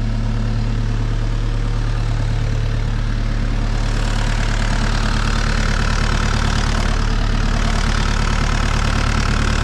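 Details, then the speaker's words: Mini excavator diesel at 1051 hours, started after oil change (about 2.5 gallons), before fuel filter change, oil pressure light off: steady deep diesel rumble at even idle, no knocks or misses; healthy idle. "we're gonna go ahead and crank it before I put the fuel filter on it I like that do it separate"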